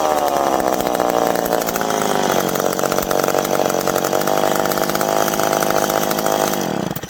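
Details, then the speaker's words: McCulloch PM700 chainsaw, freshly ported, first run: high, even two-stroke snarl holds strong through the cut, then winds down cleanly; running properly under load, break-in next. "well there we go now we got to do is run it a little bit and break it in which that's always the fun part"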